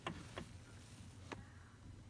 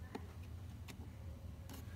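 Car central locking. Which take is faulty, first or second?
first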